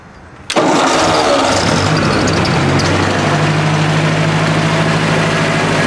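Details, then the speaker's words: 1964 Ford 4000 tractor, cold and not cranked, new carburetor needing a little choke: catches right away after short crank, settles into a steady even low idle with no knocks; normal cold start and idle. "hasn't been cranked has not been cranked so it's cold with this carburetor I've had to get a little choke when I first crank it"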